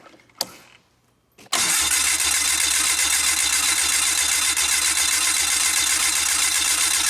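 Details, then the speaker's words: Old fuel-injected four-stroke turbo snowmobile after 30 days underwater, jumper pack on battery: steady rapid starter churn, about four beats a second, cranks but won't start; owner suspects water sucked into fuel, cycling key for fresh fuel. "let's crank on it a little bit more cycle the key give her some new fuel because it might we might have had a little water suck into"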